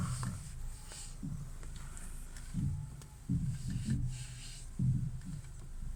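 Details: 2012 Ford Mondeo, phone held near the ear while turning the steering wheel: dull, irregular low clunks in bursts over a quiet background; owner suspects the steering rack, not confirmed.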